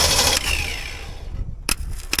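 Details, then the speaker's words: 1964 Ford Ranchero, first start attempt: engine fires and roars for under a second, then fades and dies, leaving clicks; won't keep running, leaves and debris seen inside, cause not confirmed. "oh that is good good sound W yeah sounds like it's going to work let me see if I can make it run longer"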